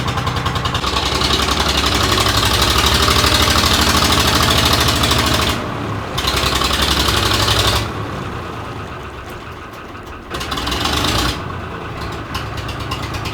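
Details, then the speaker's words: 3-cylinder Lister diesel in a harbor boat that lay flooded about 3 years, warmed up after its first start: even clatter at a steady idle of about three beats a second, no misses or stumbles. It picks up when the gearbox is engaged; running well. "Well, it's running. super good. Now it's idling."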